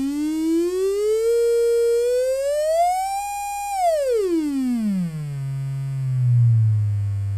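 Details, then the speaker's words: Adcom GFA-555 power amplifier, distorted left channel, mic at speaker: test tone sounds harsh and buzzy, nearly square, with clicking at low frequency; crossover distortion from near-zero output bias, running like class C instead of class AB. "let's go down to a low frequency and see what it sounds like listen to the clicking you can actually hear the crossover point so I'm suspecting it's got a bias issue where the amplifier is not operating in the class A B mode"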